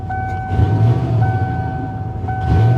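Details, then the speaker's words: 1995 Ford F-150, bought as a non-runner, idling after the computer was plugged back in: a steady, low rumble with a constant whine and no knocks or misses. It idles fine despite little coolant and a sensor needing replacement. "There it is. It did not die. It runs great."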